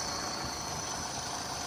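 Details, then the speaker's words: Yamaha F150 outboard at idle: uneven, stumbling idle with steady high-pitched hiss; owner suspects an intake air leak, also considering idle air control or throttle position sensor; rough idle. "So, I don't know if it's an idle air control that over What do you call it? There's a throttle position. These Yamahas have that throttle position sensor. Stumbling a little bit here."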